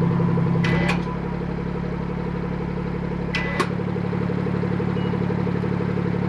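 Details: BMW F30 340i after fixing the exhaust valve rattle by fitting a new clip: smooth steady idle with two quick throttle blips that rise and settle cleanly and no exhaust rattle; repair sounds sorted.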